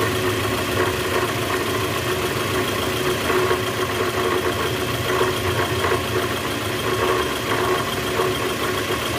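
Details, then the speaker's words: 2010 Toyota Vellfire, 2AZ-FE 2.4L engine, 100,000 km, cold morning start after sitting overnight, in reverse with the brake held, heard low on the engine: a steady, dull rattle that doesn't let up. Indicates a worn or broken-up balancer shaft. "Oke jelas ya bunyinya [Musik] ya bunyinya jelas banget bunyi gitu di bagian mesin Nah itu indikasi balancer shaft-nya udah oblak atau hancur nih guys"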